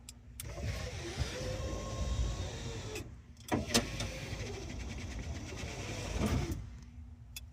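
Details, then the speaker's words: Power window motor, newly wired by the owner, whirs smoothly all the way down, pauses, then runs back up with an even hum and clean stops; window working properly. "Yes. Down goes down. Up goes up."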